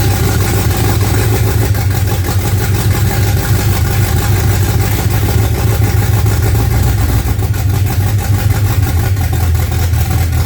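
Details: Freshly built 355 small-block Chevy V8 (double-hump heads) in a '55 Chevy on first fire-up: deep, steady idle with an even, lumpy beat, no knocks or misses; normal idle.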